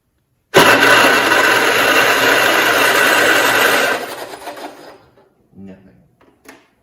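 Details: 1969 John Deere 112 Patio tractor, no spark found and ignition wiring being chased: a steady fast starter churn for about three seconds with no firing pulses, then it winds down. It cranks but will not start; the cause is not confirmed, possibly a wire or the plug.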